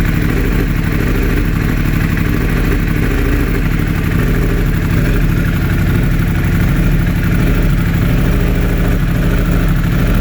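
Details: 2016 Yamaha R1 idling with an uneven, lumpy beat: constant misfire on cylinder 4 after a mild lowside crash; swapping coils with cylinder 1 didn't change it.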